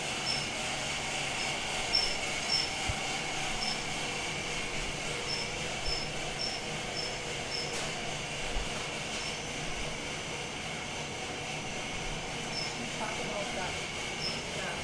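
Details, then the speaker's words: Felting machine geared way down, wool flipped and turned 90 degrees for 5 more minutes: steady unhurried churn with faint high squeak, no banging or lurching; much better than before. "So it's much better than before. So we flipped it and turned it 90 degrees."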